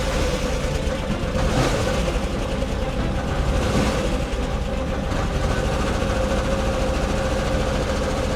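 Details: 1999 Camaro V6 just after a fuel pump replacement, 1.5 gallons of fuel, freshly charged battery, first start: uneven, lumpy idle with a wavering beat and occasional stumbles; runs rough with the service engine soon light on, cause not yet clear.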